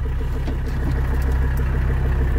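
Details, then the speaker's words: Biodiesel-fueled 4Runner with OM617 diesel swap, walkaround at idle: steady, even diesel clatter with a deep regular exhaust thrum, likened to a tiny school bus, no misses or knocks; healthy idle. "the exhaust note on this is kind of cool i think it sounds like a tiny school bus a little bit"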